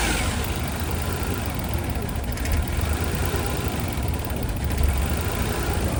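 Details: Kei van after apparent overheating, lots of water blowing out though radiator looked normal; engine catches into a lumpy uneven idle with loud low rumble; rough idle, owner suspects blown head gasket, unconfirmed.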